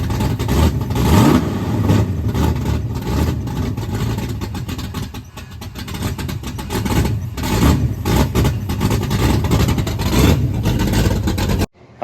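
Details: 408W stroker Windsor V8 with 12.5:1 compression and solid roller cam in a Fox body Mustang, first fire, possibly needing more timing: big V8 barks and revs hard with a lumpy, choppy cam idle between blips, firing strong and even; sounds healthy.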